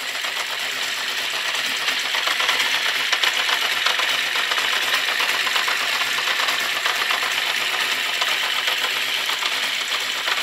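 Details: Honda CB650 Custom at warm idle after a very cold start: fast, light, irregular mechanical ticking over a busy idle, slight backfires. The owner suspects the valves on cylinders 3 and 4, or the clutch or cam chain area; source unconfirmed.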